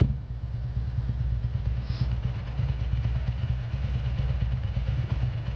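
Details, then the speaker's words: 2003 Ducati ST4S after a gear selector spring repair, warming up before a road test: lumpy V-twin idle with a fast, loose clatter over the beat; worn dry clutch rattling, needs a new clutch. "you can hear it rattling its guts down so this bike will be back uh sometime soon for a new clutch that's why it's so noisy at the moment"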